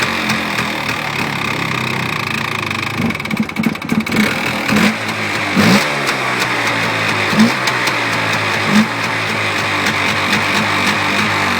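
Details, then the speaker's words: Polaris Xplorer 400 ATV on its first ride in two years, just after the choke is shut off and with the owner noting far too much oil: revs bog and pick back up raggedly and it won't idle, possibly starving for fuel. "sounds like it's disturbing itself out of gas yeah it is I get off those ugly mirrors still doesn't want to idle"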